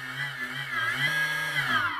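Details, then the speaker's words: FMS P-51 warbird electric brushless motor after ESC throttle stick calibration: clean motor whine climbs smoothly in pitch as throttle rises, no stutter or cutting out; running as it should. "this plane you know this p-51 is running just as it should"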